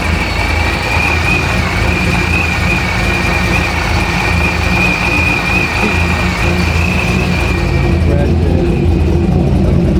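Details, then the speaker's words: Honda Civic project car whose scan shows a random multiple-cylinder misfire plus cylinder 1, 2 and 3 misfire codes: petrol idle under a thin high whine with a slightly irregular, stumbling exhaust beat. Cause still to be found. "Random multiple cylinder misfire. One, two, one, two, three. Um, so we got to figure out what why these is going on."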